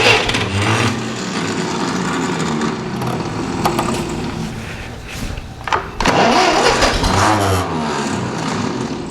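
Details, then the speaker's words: Ferguson TEA20 barn find, rebuilt engine with skimmed head and redone valves, first start after perhaps 10-20 years standing, choke and throttle: starter churns with uneven pulses and brief catches that never take; carburettor not yet adjusted. "Ignition on. I've got me posh little key as well, and oh, she wants to go. Bit of choke. Oh, might do a little bit of throttle. Come on, girl. Love that old starter motor."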